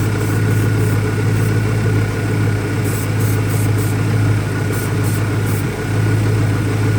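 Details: 2001 Ford Mustang Cobra V8 idling rough, deep idle that stumbles and sags unevenly with a faint background hiss; new Bosch plugs fitted, owner vacuum-testing for leaks he may be missing, cause unknown.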